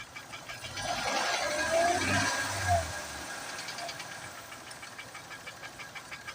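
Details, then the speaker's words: 2008 Acura MDX, owner asking why the engine knocks: a throttle blip then a light, regular ticking about three per second over a quiet idle; engine tick, cause unknown. "Звук слышишь, как цокает?"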